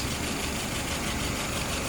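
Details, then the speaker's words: Restored WO 539S after testing and adjustment: no leaks, float set correctly. Steady, even idle at about 660 RPM, a touch fast, with no knocks or misses. Fuel pressure 2.5+, vacuum 22+; engine sounds healthy. "Currently idling at about 660 RPM, a little bit higher."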